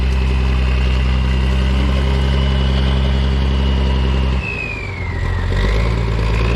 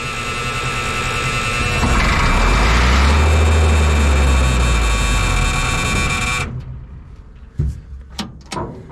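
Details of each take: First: Military diesel truck, started right up after sitting long (a disconnected wire found): even idle about 220 pulses a minute, clean rev and settle, no knocks or misses; runs really good and clean; normal idle and revving. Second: M35A2 military truck 148 after sitting long, cranked without ether, clean fuel and tank: starter churns about four beats a second for six seconds, never catches; no fuel reaching injection pump, owner suspects air in system; no-start.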